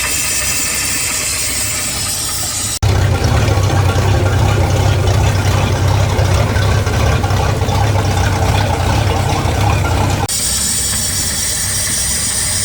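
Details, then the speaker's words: 2007 Tahoe boat, 4.3 MerCruiser TKS carburetor, after new enrichment valve, about four minutes after starting on earmuffs: steady ~650 rpm idle with light hiss/sucking of valve, expected to fade within 8-10 minutes as it closes; normal warm-up idle. "there is a sucking noise that is normal they say within eight to ten minutes and the sucking noise will go away that is the valve closing"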